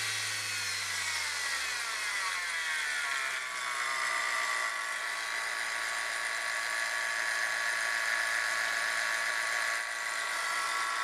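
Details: Saturn engine running with a steady high whirring whine and faint rapid ticking. It seemed to come from the camshaft sprocket but turned out to be a bad idler pulley bearing.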